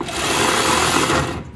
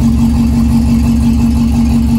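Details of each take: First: 1961 Morris Minor pickup, first attempt after sitting, using the starter switch button: high, fast electric whir, engine not turning, then spins down. Starter is freewheeling without engaging the flywheel; weak battery connection or ground suspected. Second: 1961 Morris Minor pickup, first start after sitting, with new radiator, master cylinder and brake hoses: engine catches and settles into a steady, even idle with no knocks or misses; oil light goes off.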